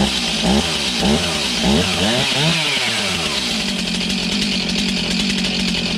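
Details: Stihl MS291 chainsaw, bought used online, just serviced; after sputtering it pops and catches on half choke with revving surges, then settles into a steady, even high-pitched run: healthy.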